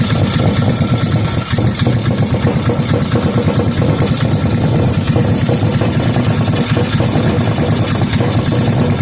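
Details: Rebuilt 5hp Briggs and Stratton single, fuel added to cylinder and carburetor, no muffler: loud, rapid, even exhaust crackle at steady speed, firing consistently and running smoothly, then shut off with the kill wire.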